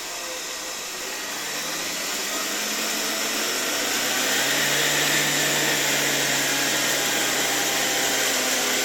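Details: 1981 Rakieta 7M2 vacuum MD-010 motor, first run on reduced voltage through a regulator: a smooth whine climbing steadily in pitch as it spins up, with no knocking or grinding. The owner wonders about bearing or spring noise but finds it runs smoothly.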